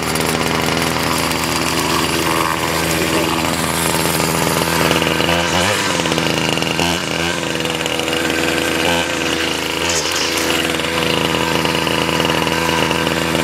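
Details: 2001 Ryobi 775R straight-shaft two-stroke trimmer, cold-started after six primes and choke, with a clutch: a high buzzy wail holds steady at speed with small dips under load, running strong and clean.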